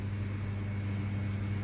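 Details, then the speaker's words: Ceiling fan after capacitor replacement, wired directly phase to fan, bypassing switch; steady even low hum without wobble, rattle or surging, now at full speed whereas blades were visibly slow before. "மொதல் ஓடும்போது பார்த்தீங்கன்னா அந்த leaf சுற்றுறது கூட தெரிஞ்சு இப்போ பாருங்கள் எந்த அளவுக்கு ஸ்பீட் இருக்குன்னு பாருங்கள்."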